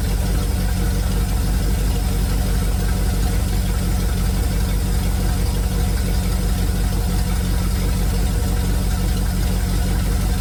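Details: 1971 Chevrolet C40 truck at idle after carb cleaning and idle mixture adjustment: loud rough idle with irregular ticking pulse about three per second; puffing knock from the truck's shot, leaking exhaust.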